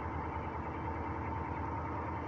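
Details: Northstar V8 at idle misfiring hard: a rough, uneven, stumbling low throb. Later it may straighten out, with a ticking the owner fears could be rod knock.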